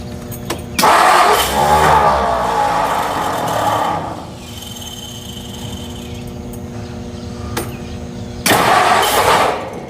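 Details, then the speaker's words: 1957 Ford Thunderbird 312 Y-block, off the road 35 years, spark confirmed: two bursts of slow uneven cranking with a gap, engine turns over but doesn't catch; suspected flooded or gunked with fluids poured in the cylinders. "Okay, it's wanting to. I don't want to hit the gas. Maybe it was flooded or just full of gunk."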